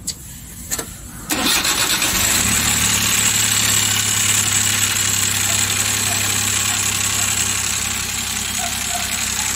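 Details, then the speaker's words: Newly overhauled Suzuki K6A engine cranks, catches and idles with a sharp, rough top-end knocking clatter because oil isn't reaching the cylinder head. "Tingan niyag over hindi umakyat yung oil dito kaya pala Pangit yung kanyang andar"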